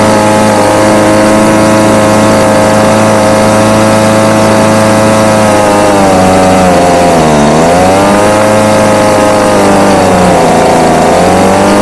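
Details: Homelite UT20042A two-stroke string trimmer after new C1U-H60 carburetor replacement: high buzzing runs strong and steady, dips and picks back up cleanly on throttle; normal running.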